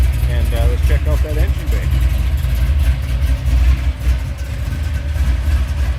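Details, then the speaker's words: 1972 Chevrolet Chevelle Malibu, Chevrolet 350 V8 with Turbo 350 automatic, warming up: deep, even rumble with a steady lope and no knocks or ticks; a healthy idle. "nice sounding cars car sounds healthy we'll get her on the other side fire it up let you take a listen to it"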